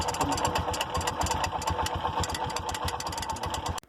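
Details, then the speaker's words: Small engine with a strange noise when starting and running: an uneven rattling clatter over the idle, then shut off; the cooling fan was smashed, its base broken, and the fan cover and starter were damaged, all needing replacement. "Dale arranque al dar arranque suena un ruido extraño y al estar encendido continúa el ruido y si nos percatamos tenemos la cubierta del ventilador una"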